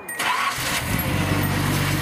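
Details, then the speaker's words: Datsun 280ZX at a smooth, even idle after an oil change, new fuel hoses and belts; it is restarted right after tightening the power steering belt tensioner. It catches quickly with no belt squeal or chirp and is much quieter than before. "Oh yeah, that's quiet, dude. That's way. That time just sounds a lot better, huh? Yeah. That's way quieter."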